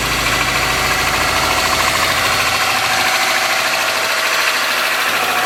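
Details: '03 Subaru Forester, 178k miles, ~150 miles after head repair for a dropped valve guide, cold running: fast light ticking, two or three a second, from driver-side front exhaust valve clearance .029 vs about .010; adjusting fixed it.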